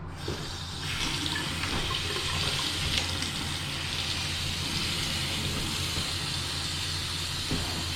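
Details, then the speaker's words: Toilet during renovation water-line testing, water newly turned on: steady rushing hiss of water filling the tank with low even hum, no sputtering or hammering; fill valve working normally. "Oh, okay. This works. Well, it's filling."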